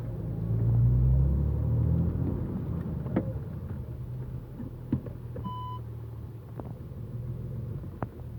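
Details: Low engine rumble with sharp, irregular clunks and pops from the front end of an Audi A4 B7 3.0 TDI quattro. They occur only when warmed up, on hard braking or reversing slightly with the steering turned right, and are louder at higher temperatures.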